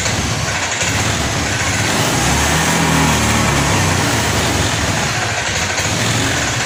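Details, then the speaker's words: Honda Scoopy injection automatic scooter at idle: dense, uneven putter that stumbles instead of settling, and it dies when throttle is opened; owner suspects fuel pump first. "nah ini menyala stansioner langsam Coba kita tarik tuas gasnya ah mati Pak di sini bbetbet pak ya ketika langsam ini berebet tidak normal"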